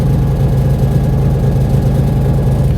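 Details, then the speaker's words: Nissan 350Z with Link G4+ ECU on the RPM limiter, control range widened to 500 RPM: steady, even drone at the limiter without choppy cutting, RPM much smoother than with the narrower range, where it spiked above the limit. "OK so let's have a look at that, and in contrast to our earlier test, we're now seeing that our RPM is a lot smoother. Again I'm not sure if you could hear that audibly from your end, but our engine physically sounds smoother when we extend our control range out."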